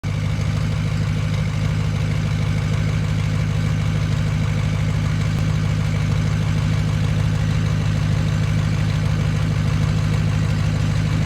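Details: 6.0 Powerstroke diesel at idle: deep slightly uneven lopey beat about three times a second; bad injector in cylinder 6.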